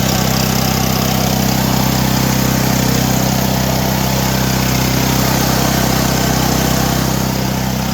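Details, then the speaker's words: Generator restarted during a power outage after fuel-line work, now powering fridge, freezer and microwave: it holds a steady, even drone under load with no surging; owner suspects an earlier fuel hiccup, maybe a little water, and it now runs normally. "I think we might have had a hiccup in the fuel, maybe like a little water in it. I don't know, but it sounds really good out there now."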